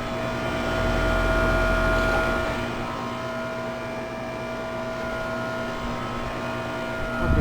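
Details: 2008 Goodman heat pump outdoor unit, coil looking frozen in winter: steady compressor hum with a couple of fixed tones, then a brief surge as the reversing valve shifts into defrost; normal defrost cycle.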